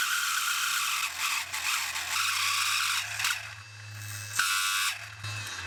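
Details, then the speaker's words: Mini lathe cutting with a harsh scraping rattle and fast uneven chatter over the motor hum as the tool bites, leaving gouged cuts; poor workpiece grip suspected, not confirmed. "Yeah, that noise doesn't sound good."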